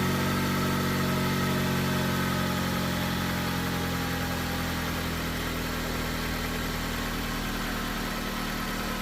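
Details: Jeep first start after a relay repair and rewiring: even, steady idle at about three beats a second with no misses or knocks; running smoothly.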